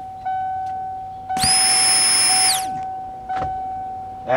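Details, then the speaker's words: 1992 first-gen Ford Explorer new fuel pump, access hole cut in floor, tested at key-on with float raised and camera by the pump; steady high whine about one second then cuts off cleanly, normal prime, fuel gauge reads full. "I'm going to set the camera by it we'll see if it kicks on for Prime put that right there I'm going to turn the key on"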